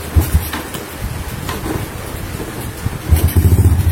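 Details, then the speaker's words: Carbureted motorcycle that won't idle: uneven, lumpy idle that pulses and wavers and needs a little throttle to keep running, caused by an air leak past a cracked carburetor intake insulator; idle screw setting was already correct. "Ini kalau motor nggak bisa langsam itu seperti ini ya teman-teman."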